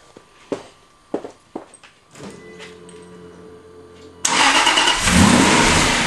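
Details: Aston Martin V8 Vantage at idle: high-pitched squeal from the front of the engine over a busy idle; likely belt or pulley, modified pulley and new belt planned.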